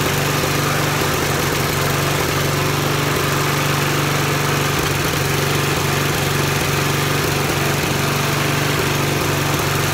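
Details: Hayter Harrier 41 petrol mower after carburettor cleaning to cure surging: steady, even engine note holding one speed with no surging or hunting; running smoothly and healthy.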